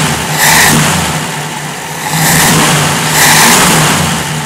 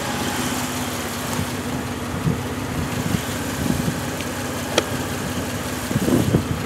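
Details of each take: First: 1965 Jeep CJ5, newly fitted XF Falcon electronic ignition and distributor, stone cold, possibly low on oil, suspected fuel supply issues: three quick blips rising cleanly and settling to even idle, no misses; smooth. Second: Bone-cold 1965 Jeep CJ5 just fitted with an XF Falcon electronic ignition, jump-started: idle wanders and stumbles with uneven lumpy pulses and surges; it floods, owner suspects fuel supply or carburettor issues; rough running on cold start.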